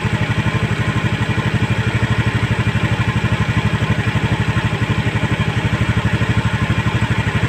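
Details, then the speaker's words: Honda Scoopy eSP scooter, idle raised to a stable 1600 rpm via the throttle body air screw to fix non-working idling stop; steady even idle with regular pulse, no hunting; normal idle after adjustment. "Hai putaran stasioner nya sudah stabil di angka 1600 Sekarang kita coba lagi buat Jalan Apakah sudah bisa berfungsi idling stop nya"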